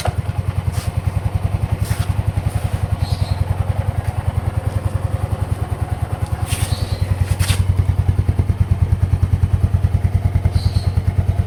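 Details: Yamaha Mio M3 scooter that died from compression loss. After oil was put into the spark plug hole, kickstarting became heavy again, and it now runs with an even low thumping of about 200 beats a minute. Brief smoke comes from the burning oil.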